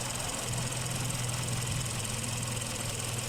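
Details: Hyundai Avante GDI idles rough with a low uneven shake and recurring stumble under a steady drone; code P0301, cylinder 1 misfire detected, cause not yet pinned down.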